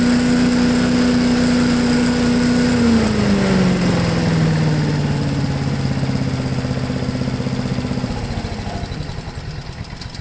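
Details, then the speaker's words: Honda 5HP engine on MTD Yard Machine push blower, sat unused 2+ years, now revived, after final full-throttle run: smooth even drone holds pitch then eases down without stumbling or missing; normal running. "so it even throttles right up with no hesitation i'm thinking to just leave it alone"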